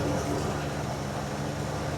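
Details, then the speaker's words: 1981 Jeep Wagoneer Limited, AMC 360 V8, revived after sitting 20+ years: quiet, even low hum with steady pulses and no clatter or knock; oil pressure judged fine, sender deemed junk. Idling good, normal idle. "We were scared because that sender is obviously junk. She's quiet, and she's idling good."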